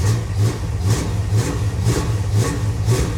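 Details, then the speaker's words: 1977 Chevy Monte Carlo after the distributor was turned the correct way to advance the timing: steady, even idle with a deep throb about twice a second and no misses or knocks. Timing was then checked at about 7° initial and about 32° total. "oh gee when you turn the distributor the correct way it actually works"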